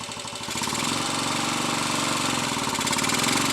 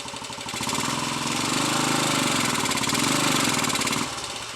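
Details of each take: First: Royal Enfield 250 five-speed motorcycle, tested in first gear with throttle opened against the brake. The engine note swells and holds firm with no slipping or knocking: a normal pull under load. The gearbox problem appears to be a badly worn third gear. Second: Royal Enfield 250 five-speed single on the stand, in third gear: rough clattering beat about three or four a second over the exhaust; third gear badly worn, causing gear selection problems, while first gear pulls fine.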